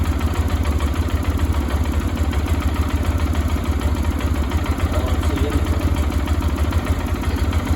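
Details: 2022 Lifan KPR200 after cold-engine valve clearance adjustment (intake 0.08 mm, exhaust 0.12 mm), started to check for leaks: steady, even single-cylinder thump at idle with no ticking or misses; normal, smooth idle.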